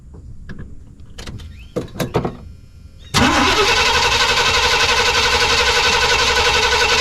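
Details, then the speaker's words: Suburban V8 with a new Evil Energy 600 CFM carburetor, still warm. The carb flooded, and a few clicks are followed by the engine catching at once and settling into a fast, even idle. Owner plans to lean the choke adjustment. "Looks like it flooded it. So, as for that, not too bad. Fired right back up after I got it washed down with gas."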